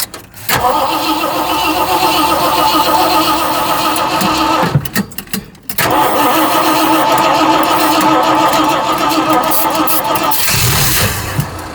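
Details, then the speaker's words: Cranking with no start on a newly installed cheap aftermarket carburetor; starter churns about three turns a second in two long bursts but never catches, likely fuel starvation, suspected low fuel or fuel pump ruined by bad fuel. "Maybe needs fuel. Maybe it We ruined the fuel pump with this nasty stuff."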